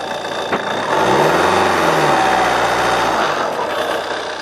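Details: JTD diesel idling: a faint high chirp riding over the clatter, steady and repeating a few times a second; source of the unwanted noise unknown.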